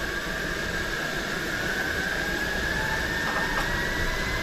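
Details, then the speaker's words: Old kettle on a long-unused Coleman camp stove reaching the boil, owner unsure its whistler still worked; steady high whistle near 2 kHz over boiling hiss; whistler works properly. "i'm seeing a little bit of steam whispering out of there i don't know if the whistler works on that kettle anymore or not"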